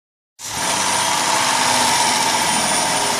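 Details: 2006 T&C minivan engine at cold-start idle with a steady high-pitched whine holding one pitch throughout; engine whine occurring when started from cold.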